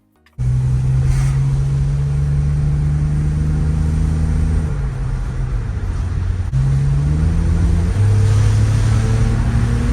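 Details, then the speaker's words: BMW X3 with M54 inline-six on a test drive after fixing a misfire. Smooth rising engine note through two gear changes, pulling evenly with no stumble; misfire fixed. "So just like that, we fixed the misfire on our BMW X3."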